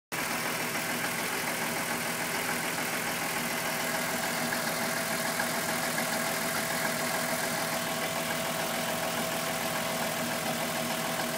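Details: VW Golf VR6 2.9, 103,000 km, at idle after replacing upper hydraulic chain tensioner: irregular light chattering tick over hissy top end; earlier chain-rubbing noise got louder, suspected timing chain, unconfirmed.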